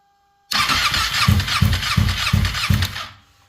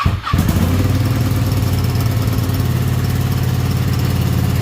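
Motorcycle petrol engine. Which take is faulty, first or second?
first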